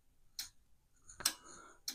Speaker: I'm flipping the float switch do you hear that relay clicking do you see the indicator